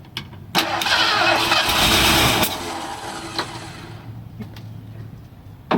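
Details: 1978 Ford Bronco Ranger XLT barn find that sat 20 years, rat-chewed plug wires: catches with ragged roar on starting fluid, then sags into uneven stumbling sputter.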